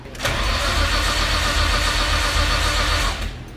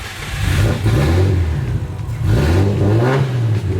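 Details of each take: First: Nissan R33 with big turbo, first start attempt, MAP sensor reading incorrect, voltage dropping to 9 V while cranking: even starter cranking about four per second for three seconds, never catches despite spark and fuel; crank no start from corrupted ECU map file. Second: Big-turbo Nissan R33 on first start before tuning: engine blips up and down cleanly with deep even, loud exhaust note, no misses or knocks; healthy rev.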